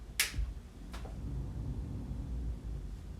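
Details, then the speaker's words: Audio mixer, previously fine, makes two sharp isolated clicks over a low steady hum at power-on, everything unplugged; the sound is stronger in USB mode. "today I woke up and turned it on and it was making this weird clicking sound"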